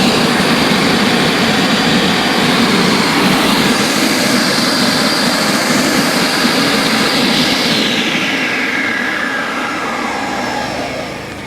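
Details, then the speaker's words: Salvaged discarded machine being tested: loud, steady rush of air with faint whine sinking as it spins down; only the blower motor/cooling fan appears to run, engine not running (suspected, not confirmed). "I don't think the I think that's just a blower motor yeah it's probably just the blower motor the cooling fan but I don't hear the uh engine running"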